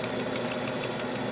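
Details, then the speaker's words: 1940 Globe A4020 Model 75 meat slicer during restoration, blade run while polishing rust off with crocus cloth: a light sharp tick about six times a second over the hum; caused by a paint speck on the blade, removed by fingernail. "That would indicate to me that there's like a little nick of something on the blade. And I did feel something."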